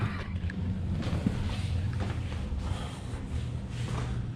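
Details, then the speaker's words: 2007 Shelby GT500 with newly installed L&M NSR cams, cranked in neutral with the fuel pump relay pulled before loading the tune: low, even starter cranking with no knocks or grinding. Normal cranking on all banks. "cool sounded like she was going good on all banks nothing too crazy there"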